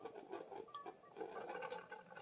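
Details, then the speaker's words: Hamilton Beach FlexBrew Trio 2-way coffee maker, full reservoir, 14 oz setting, pot in: light irregular ticking and spitting patter, rattling inside, output reduced to a drip; machine not working, water steaming, cause not found. "You hear all that noise? Sounds like something's rattling in there, which is not normal. Just so far now it's reduced to a drip"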